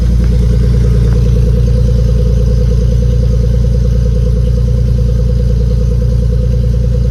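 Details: Nissan 240SX S13 with a swapped 370Z V6, newly running with no fault codes, exhaust pipe still needing repair: a deep, even exhaust pulse with a steady beat and no misses, knocks or ticks; it idles normally.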